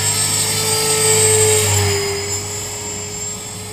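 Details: Trex 450 electric RC helicopter test flight after a crash, fitted with a 3500kv Common-Sense RC TR450-35 motor (13t pinion) and a smaller lipo: thin, steady high-pitched squeal over the rotor and motor whir from a bad main shaft bearing.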